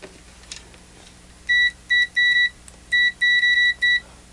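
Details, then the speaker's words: Zotek ZT-703S handheld oscilloscope/multimeter in continuity mode: short high beeps drag on, still beeping after the probes are released, and blur together when tapped repeatedly. The reading is latched but lags. Continuity beeper lag. "the reading is definitely lashed but it lags a little bit as you can see here when I release the probes is still beeping"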